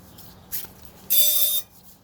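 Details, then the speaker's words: Honda Civic rolling backward in reverse: a short chirp, then a loud, steady high-pitched squeal from the rear brake; a rock was suspected, but the pad is found a little thin. "okay there's a very loud squeak it could be brakes but right now sometimes it could be a rock in between here"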